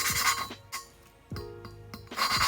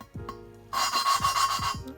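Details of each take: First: Valve lapping on a Honda B17A1 VTEC head (Ferrea flat-face valves) for an all-motor B17 CRX build: short, even back-and-forth rasping of the lapping tool with no sand-like crunch of compound left; the seat is now smooth and lapping is nearly done. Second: Honda B17A1 VTEC head, hand lapping Ferrea valve after tapping it on the seat: harsh gritty rasping each back-and-forth twist, crusty again as compound cuts; seat not finished.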